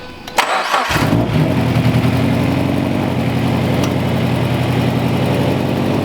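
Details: Turbocharged FRS first start after turbo install, not yet tuned: engine cranks, catches quickly and settles into steady, even idle with no squeal or misses; healthy start.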